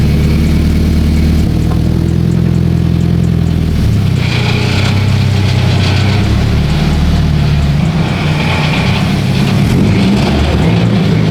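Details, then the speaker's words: 2013 Subaru BRZ with an existing custom single-exit straight pipe, before a GReddy EVO GT exhaust install: loud revving with a buzzy metallic rattle on the exhaust note; loose exhaust section shaking. "That rattling is so bad. So, today we're going to get that fixed."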